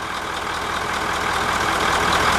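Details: 9-liter diesel bus after valve adjustment, oil change and new oil filters: steady even idle with light normal clatter and no intake-side thumping; engine sounds healthy.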